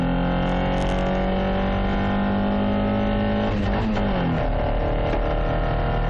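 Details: Toyota Carina 1.6 16V with one bad injector, believed caused by running bad fuel; uneven, lumpy, stumbling hum dipping as revs change, one cylinder not firing cleanly; misfire from faulty injector.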